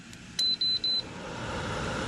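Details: Lasko outdoor patio fan salvaged from the trash, after new control switches were soldered onto the board: three short, crisp high beeps as the fast, medium and low buttons are pressed. The panel responds normally.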